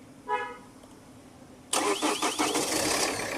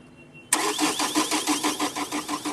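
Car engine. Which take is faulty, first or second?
second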